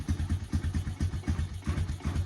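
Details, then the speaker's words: 2003 Honda Recon 250 ATV engine after sitting unrun for many years, first run on a new ignition and solenoid, choke sticking: single cylinder thumps at about four beats a second, steady and even with no knocks or misses, a healthy idle. "anyway the motor sounds great and i was in gear the first time that i started and i didn't realize it and it kind of you know drove off but uh will it run yes it will run"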